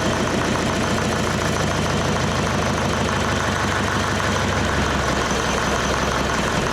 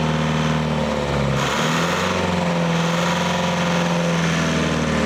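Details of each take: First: Leyland 154 tractor diesel, cold, restarted during restoration with diesel leaking from the injection pump: knocking idle whose beat sags and wanders, won't hold idle; owner suspects pump leak, not confirmed. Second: Leyland 154 tractor diesel after glow-plug heating: steady, even idle at about 1,200 rpm with great oil pressure, following a brief blip; it sounds healthy, though the diesel pump still leaks and oil spits from a broken dipstick tube.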